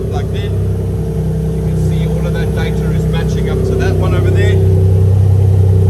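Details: Toyota 1G-FE VVT-i in a Lexus IS200 on new ECUMaster Black harness, no exhaust fitted: loud open-pipe note climbing and settling smoothly with each blip, no knocks or misses; runs smooth, healthy engine revving.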